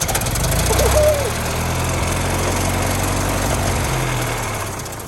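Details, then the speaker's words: 1916 Federal Motors truck small four-cylinder engine, first start after 50-60 years unstuck, primed with carburetor filled: catches and races to a loud uncontrolled high rev before slowly dropping; overspeed runaway, owner says throttle needs dialing back. "we have to dial the throttle on this thing a little we can't have it doing that at all"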